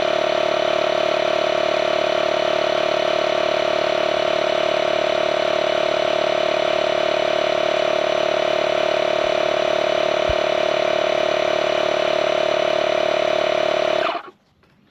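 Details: Engine idling after flat tire is inflated to 14 PSI: steady, even idle holding one note over ten seconds, no misses or knocks; normal idle.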